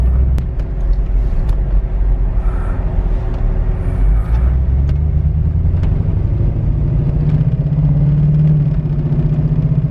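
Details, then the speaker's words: LS-swapped Suburban after piston and rod replacement, on test drive: low, lumpy, uneven V8 rumble with stumbling beats and sagging revs, near stalling; feels like a dead cylinder, fuel pressure being checked, cause not yet found. "no sound feels like a dead cylinder yeah some stealing right"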